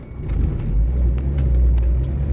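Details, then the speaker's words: 2006 Renault Kangoo 1.5 dCi panel van after CV joint head replacement: steady low rumble turning at full lock at low speed, previous clattering gone, no clicking; CV joint normal. "önceden çatır çatır çatır çatır gelen ses şu anda yok hiçbir şekilde Ses gelmiyor Allah'a şükür"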